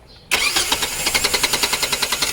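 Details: Hard starting with no fault codes, fuel pressure checked with a gauge: the starter cranks steadily and rapidly, about eight pulses a second, with no catch yet. The engine is slow to fire.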